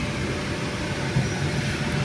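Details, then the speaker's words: Honda GM with earlier slight misfire and rocking at stops, after ignition coils replaced: in gear, headlights and AC on, foot off brake with handbrake up, steady even idle hum with no jerks; fixed. "अभी गौर से देखना कोई झटका नहीं है इसमें पहले य गाड़ी ना आगे पीछे हिलती रहती थी खुद ही तो अब यह गाड़ी फिट है"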